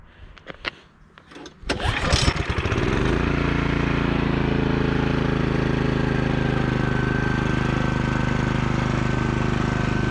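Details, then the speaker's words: Cub Cadet 3X MAX 34-inch 420cc fuel-injected three-stage snow blower, restarted: a few cranking pulls, catches within a second and settles to a steady even run with no misses; starts up really nicely, normal start and idle. "So far I like it. It seems to start up really nicely."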